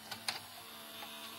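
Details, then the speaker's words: Toshiba V855F VCR (V-series mechanism, apparently made in England): cassette threads normally, then a couple of sharp clicks and a faint thin whir as play halts and the deck enters protection mode; tape doesn't retract, worn capstan belt. "il s'arrête et il se met en sécu. Ok. Si je remets en marche. J'ai fait un play. Là, il me dit lecture, apparemment, il s'arrête."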